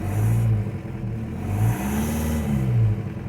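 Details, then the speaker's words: New engine in a Toyota with a 1.9L TDI diesel swap, just fired up: a steady low diesel rumble with an even beat and no knocks. It idles right away with good oil pressure while the temperature climbs, sounding healthy. "Seems to be idling right away. Pretty nice. Got good oil pressure."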